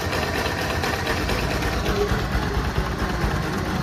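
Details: Bajaj NS200/RS200/NS160/NS125-type engine, older bike, at idle: fast light tik-tik over the engine thrum; valve tappet clearance ticking, with an engine oil leak also noted.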